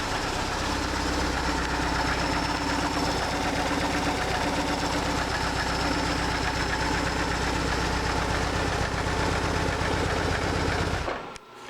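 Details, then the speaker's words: 2004 BMW R1150R oilhead boxer twin, 22,711 miles, after no-start and poor-running diagnosis and repair: even, steady twin-cylinder beat at idle, both cylinders firing regularly with no misses or stumbles; runs as it should. "It runs like an oil head is supposed to run."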